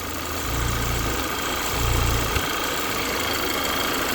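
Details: 2013 Audi Q3 2.0 TFSI CCZC petrol engine being diagnosed for lean faults P2279 and P2187 at idle with the check engine light on: a steady, soft, even hum with light low thumps and no hunting, a normal idle.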